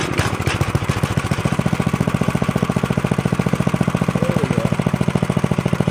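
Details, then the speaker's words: Restored 1983 Stinger go-kart, 206cc 5 hp (rated at 3600 rpm) single-cylinder, freshly fuelled: a steady, fast, even beat that picks up briefly with throttle while checking that the clutch engages. It runs healthy. "we [Music] so it does run what I just did was uh gave it some throttle to check uh the clutch on it to make sure the clutch was engaging and working you know"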